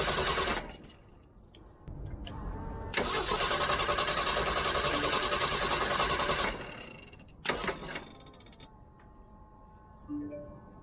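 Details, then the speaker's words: Old Jeep with battery and distributor disconnected, cranked only by a DBPOWER G57 2500A jump starter: strong, even, fast cranking with no firing. The jump starter cuts out after about 6-7 seconds, then cranks just as fast again. "It seems like it turns off after, I don't know, 6-7 seconds. Let's try that again. When it comes back on, it cranks it just as fast."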